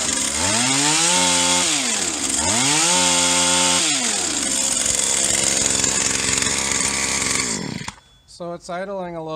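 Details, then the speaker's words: Stihl HL 75K hedge trimmer two-stroke after carburetor replacement, choke used at start: revs up and down, then settles to a fast, buzzy idle set too high; needs the carburetor adjuster screws turned down. "fast it's gonna need a couple of carbage us ones back here with these adjuster screws"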